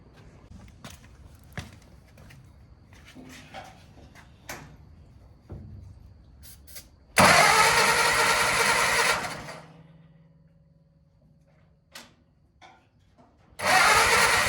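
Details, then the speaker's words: Case vac tractor with a swapped engine (new clutch disc and rear main seal), started after filing nasty points: a few cranking clicks, then it fires loud for two seconds, dies back, and catches again on starting fluid. "okay so i filed the points they were pretty nasty we'll see what happens [Applause] it lives"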